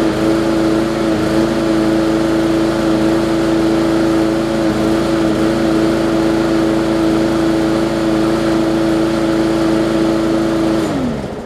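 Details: Bolens push mower with a Briggs & Stratton single-cylinder engine (classic or newer OHV), after no-start repair; carburetor gasket fuel-air mix problem suspected. Steady, even drone with no misses or surging, then winds down cleanly; running normally.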